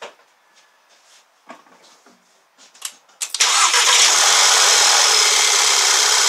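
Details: Normal start and idle after a P0300 misfire repair on a VW CC Sport: a few clicks, brief crank, clean catch, then a steady, even idle with no misses or knocks.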